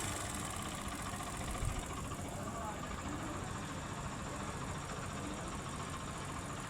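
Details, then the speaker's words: Hero Splendor motorcycle: steady idle with a fast, light metallic rattle from a worn, slack timing chain inside the engine. "दोस्तों जो engine के अंदर time in चैन लगी रहती है वो टाइम इन चैन चलते-चलते खराब हो जाती है। उसकी आवाज होती है।"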